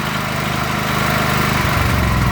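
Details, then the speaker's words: Predator 8750 W inverter generator on Nash tri-fuel kit running propane, no choke: steady drone turns lumpy and uneven when the idle block adjusting nut is backed out too far, misadjusting the propane idle mixture. "you hear that? It's not running quite so good."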